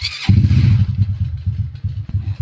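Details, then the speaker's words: Restored Honda Wave 125i with overhauled engine: short starter whir, catches at once and settles to an even single-cylinder idle; the electric starter, previously not working, now works. "Tapos starter nito napagana ko na rin kasi nung una hindi yan gumagana."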